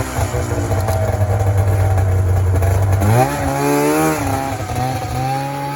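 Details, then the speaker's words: 1994 Polaris Indy 440 two-stroke snowmobile, rear propped up, revved in cold: drones low, then revs climb unevenly and hang back; bogs coming onto the pipe around 4500 rpm before taking off, cause not confirmed. "so it seems to be coming onto the pipe around 4500 RPM there's a bog and then it takes [Music] off"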